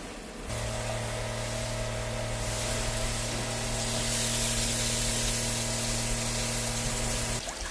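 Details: Ford Transit camper van conversion water system during hot and cold water test: steady pump hum with smooth, even hiss of flowing water, stops cleanly; working normally.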